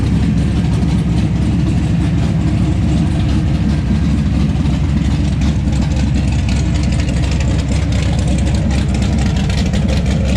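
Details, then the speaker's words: 1970 Plymouth Barracuda with a freshly built 400-block 512 big-block stroker (Trick Flow 240 heads, cam, intake), after initially refusing to idle: a lumpy but steady idle holding on its own without surging or stalling. Needs some tuning. "So we got some little tuning to do here, but it's a runner. Yeah. There we go. Now it's idling on its own."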